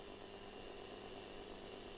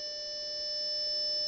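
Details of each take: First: Atari 65XE with XC12 tape drive loading a just-saved program: a steady high tone over hiss plays back very faintly and never swells into strong loading data; the Atari does nothing and the load fails. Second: Atari 65XE with XC12 cassette drive under repair, saving data with the counter at zero; steady high data tones over a quiet tape transport, tape running fine; normal cassette save tones.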